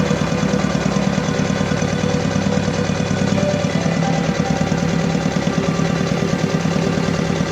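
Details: Diesel engine with low power, black smoke and vibration, idling rough and lumpy with uneven pulsing beats and a shaking drone; misfire from a fuel system fault.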